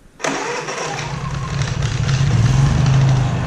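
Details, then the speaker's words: Honda EU3000is inverter generator, not started for a couple of months, cold start with choke and eco mode on: a quick pull catches right away, then settles into a steady low hum that builds slightly; clean normal cold start. "yeah and as you can see we're right next to it this is pretty much how it runs the whole time we're up at the cabin just burn away like that"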